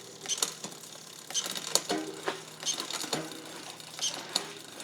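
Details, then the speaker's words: SRAM XO Transmission wireless drivetrain (no limit screws) after readjustment: light, crisp clicks as each gear engages, no chatter or grinding; the gear that was noisy before is now quiet, so shifting is normal. "oh so if I go back in and now it's quiet that was the same one that we were having trouble with"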